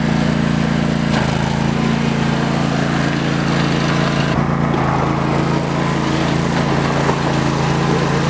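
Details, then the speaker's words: Trail-mower build with a new carburetor, small single-cylinder engine under load: steady drone with a slight rhythmic lope at low rpm; owner suspects it isn't getting enough fuel. "has a little bit of like kind of sounds like a a lope at low rpm so i'm kind of thinking it's not getting fuel as"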